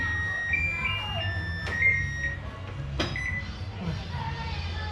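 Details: Hitachi SF-160XTV 16 kg washing machine control board after repair of no-power-on fault (buttons only beeped): a few clean high electronic beeps in a quiet room; board powers up and answers buttons normally.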